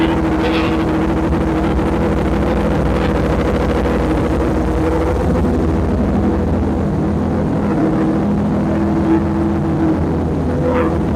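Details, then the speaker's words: Honda motorcycle that wouldn't start now catches after cranking with the throttle cracked slightly. It settles into a steady, even low rumble without misses and runs properly; the owner's original ECU is suspected as the real fault. "Oh, that was a great success. I'm very happy."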